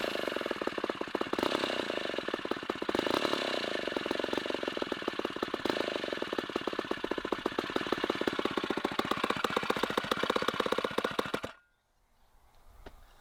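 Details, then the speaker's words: 1960s Homelite C-51/XL-12 two-stroke chainsaw during revival: it idles slowly with a loose, uneven putter, then stops. The idle is set too low; a little smoke is seen and the owner wonders if it wants more fuel. "sounds like i got the idle set a little low maybe it needs to be a little fatter we'll just turn the idle up that's the that's the easiest thing to do"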